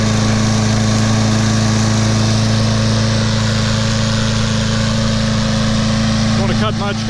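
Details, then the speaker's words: Craftsman mower, Briggs & Stratton 6.75 gross torque 190cc engine, running after suspected thin 0W-20 oil replaced with SAE 30: steady even high-speed drone, no knocks or misses; healthy, owner watching muffler for oil smoke, thinks it's just full of oil. "that sounds good sounds real good see if it burns any oil out of this muckler"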